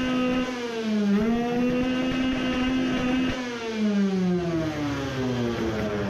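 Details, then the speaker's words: Two-stroke moped (2021 build, self-cast cylinder, 20 hp goal) run with fuel line shut to test if too rich: revs a bit better but rough, uneven note with stumbles near the top; misfiring badly at high rpm. "it reved maybe a bit better but it is misfiring badly"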